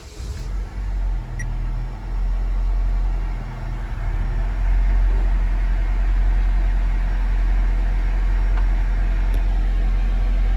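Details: 2007 Honda Civic 1.8 L four-cylinder, earlier a crank-no-start with no fuel pressure, now running: short spell of cranking, then the engine fires and settles into a steady low, even idle; sounds healthy.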